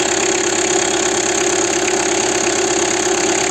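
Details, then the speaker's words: DW8 diesel (Citroën/Peugeot) after fitting a new auxiliary belt, which had come off and caused the battery light and heavy steering: steady, even idle clatter with no belt squeal, and the tensioner moves naturally. "vamos a arrancar y a ver cómo suena Y qué hace Aquí vemos que funciona bien y el tentor Pues tiene un movimiento natural no"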